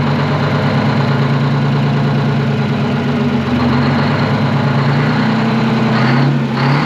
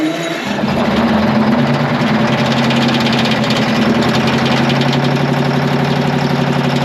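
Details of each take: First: Twin-turbo Detroit Diesel 12V71 two-stroke generator, revived after sitting abandoned, idling deep and even with a steady low drone, fan no longer clattering against its guard; normal idle. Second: Twin-turbo Detroit Diesel 12V71 generator pulled from a field, first start: steady running with quick metallic rattle, about four ticks a second, from fan blades striking the guard.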